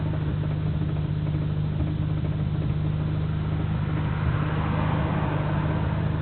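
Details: Nissan Skyline GT-R BNR34, stock Getrag manual gearbox with Nismo clutch, recorded windows open: low, irregular rumbling gear rattle at idle. It is abnormally louder than usual and lags after pressing the clutch. Unchanged after gearbox oil change; overhaul considered.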